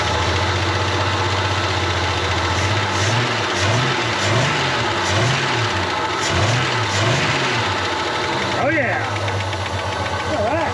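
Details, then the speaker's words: Dirt-cheap CM Valiant Chrysler first started after purchase: uneven, lumpy idle with steady low chuff and irregular thumps like an old tractor, plus a whirring; owner suspects water pump bearings and a slipping belt smelling of rubber. "yeah okay see that thank you sounds like a bit of an old tractor at the moment"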